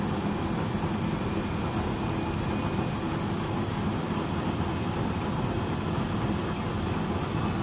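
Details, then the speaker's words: Beko WS832425s washing machine on a bulk heavy load, with excess suds: the spin climbs from 600 to 1,000 rpm with a steady drum roar, held back by suds lock. "the yeah has made it 600 now it's rying to get faster oh can it make it to 1,000 RPM it's certainly going to try"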